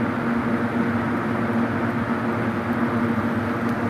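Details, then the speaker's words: Vintage seven-blade Hunter box fan, rough condition, running on high: steady, even rush of air over a faint constant hum, no rattles, ticks or wobble. "low speed runs really slow when you first start it up because it needs oil obviously but once it's been running for a while it speeds up a little bit still very quiet it moves a nice gentle breeze"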